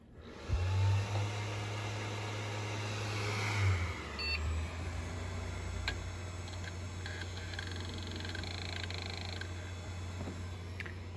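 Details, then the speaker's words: 10 GB hard drive from an old Compaq on spin-up test. A low steady hum as the platters reach speed, with faint head ticks. Normal spin-up. "spice is not exactly the fastest but hey it works it gets the job done"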